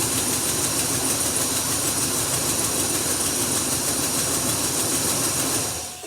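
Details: 1999 Chevy 1500 first start after sitting a very long time, no check engine lights: rough cold idle with fast sharp ticking puff about three per second until shutdown; exhaust manifold leak from a broken bolt.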